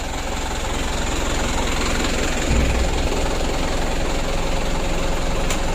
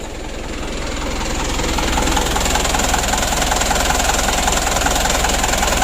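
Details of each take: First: Mitsubishi Canter 136 PS HDL diesel truck, which had been hard to start with diesel getting into the oil, restarting after injection pump work: catches quickly and settles into a steady, even idle clatter; starts easily. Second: Mitsubishi Canter 136 PS HDL diesel truck idling after hard-starting repair work: a steady, rapid puffing about three a second with a raspy hiss; the muffler is rusted through with holes, leaking exhaust.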